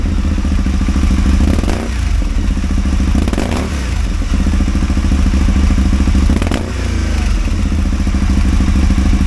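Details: Caponord 1000 V-twin idling loud and uneven, with irregular thumps and occasional stumbles in the beat; engine misfire, cause unknown.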